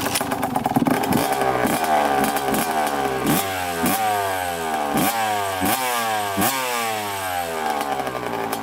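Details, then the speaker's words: 1991 Suzuki RM125 two-stroke on its first kick-start after a full reassembly with a freshly rebuilt carb: a crisp ring-ding that climbs and falls with repeated throttle blips and picks up cleanly; it runs well after the rebuild. "all right sweet sorry first cake there's a Nile the greatest but man pretty good first kick freshly rebuilt carb"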